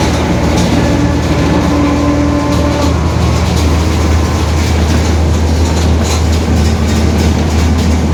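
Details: 2021 Marcopolo Torino S bus on Mercedes-Benz OF-1721 BlueTec 5 chassis, onboard while cruising: steady low droning growl under road noise, even with speed; growling differential.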